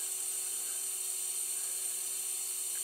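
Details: MFJ-4275MV power supply with voltage raised step by step from 8 to 16 V. It gives a faint, steady high hiss with thin whistling tones: the capacitors are frazzled.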